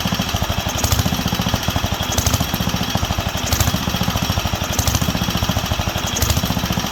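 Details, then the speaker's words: Wisconsin AENL barn-find engine on its first run in 20+ years, after restored spark and a cleaned fuel system and carb. The single cylinder surges, speed hunting up and down. The owner believes it is fuel, not enough on the high-speed circuit, though he wonders about the condenser. "the way it's surging is fuel because when i cut the fuel it obviously doesn't like it"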